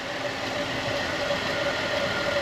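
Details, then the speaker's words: 2010 Buick Enclave CXL V6 with an even, steady idle, no stumble, hiss or uneven firing, after the leaking vacuum hose was replaced with a thicker hose with a heat-protective cover, curing the misfire. "lo que hice fue que le puse otro pedazo de de manga grueso más tiene más tiene este cover encima que la protege del caliente y se le quitó ya el Miss fire"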